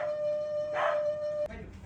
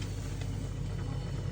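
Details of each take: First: Daewoo refrigerator whistling and humming for about a week; steady high whistle from the fan stops sharply when the fan connector is unplugged, leaving low hum; condenser and compressor area also clogged with dirt. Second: Daewoo refrigerator running after repair of a week-long hum and whistle traced to the fan, with clogged condenser and dirty compressor area to be cleaned: steady low even hum, no whistle or rattle, normal quiet running.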